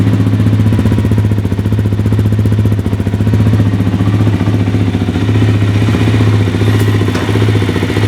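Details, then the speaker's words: Suzuki LTZ 400 quad first start after top-end rebuild (new cam chain, piston rings, re-shimmed intake valves, oil hoses): fires right up, steady even single-cylinder idle thump, previous ticking gone. "So as you can see, that fired pretty much right up. In my experience, after a top end rebuild, I've had to crank on the engine to get it to fire for a little while. But sure enough, she fired right up."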